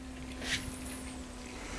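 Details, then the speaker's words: Budget 70€ PC custom water-cooling loop (5950X, RTX 3070), pump reduced to 60 speed: faint steady low hum at even pitch under soft hiss; still decent flow and pump still audible, bubbles in reservoir. "the flow rate of the pump is is not even bad i mean you can hear some noise maybe it's possible to reduce the fan speed or the pump speed maybe but yeah the pump power that's quite impressive"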